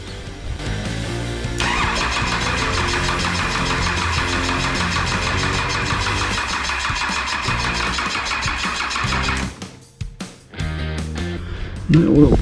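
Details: 6BT Cummins diesel being installed in a GU Patrol, injector lines cracked to bleed fuel; about eight seconds of steady rhythmic cranking with no catch; owner suspects the dry oil pump has not primed, so there is no oil pressure.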